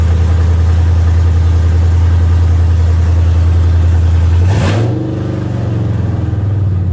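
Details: GM truck converted from V6 to V8, just started after the swap: a deep, even V8 idle with a steady low rumble blips once and settles back to a smooth idle; no security light, a healthy idle.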